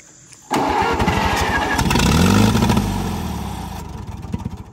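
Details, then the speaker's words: 1945 Allis-Chalmers WD 4-cylinder gas tractor, sat for years, choked, carburetor cleaned as best possible: cranks, catches, runs a few seconds with uneven fading firing, then dies; fuel starvation, carburetor plugged, likely rust and water as in the fuel tank. "here it's plugged it must be full of rust and water like the fuel tank"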